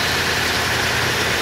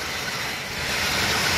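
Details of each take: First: 1986 Chevy K30 at idle: constant high hissing whir over the engine; after a wobbling part tore up the belt and was replaced, owner suspects the power steering pump next and plans to replace it, lines, Hydro Boost and master cylinder. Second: 1986 Chevy K30 with Turbo 400 and stock quiet exhaust, cold start after sitting: steady slightly raised V8 idle with even hiss, no misses or knocks; normal cold-start fast idle.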